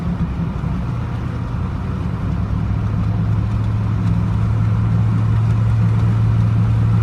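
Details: 2000 Chevrolet Z71 5.3 truck driving after being run in 4Lo for over two hours; deep steady hum under road rumble, no reverse or 3rd gear. Failing automatic transmission noise.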